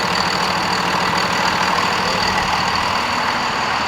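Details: 2nd Gen Dodge Cummins 24-valve diesel, just after installing an S&B air filter; steady, even diesel clatter at idle with constant hiss on top and no stumbles or misses; healthy idle.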